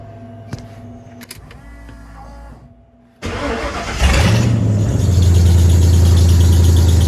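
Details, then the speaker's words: Maverick after idle air control valve reorientation fixed the high idle: short crank, catches at once, settles into steady even idle; starts right up, running normally. "So it starts right up. Everything seems to be running good."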